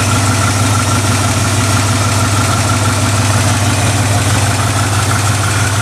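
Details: 1969 Ford F100, believed 302 V8, C4 automatic, idling: loud, deep, rumbling idle with an even beat and a raw unmuffled edge; exhaust leak, passenger-side pipe cut or rusted off, mufflers need replacing.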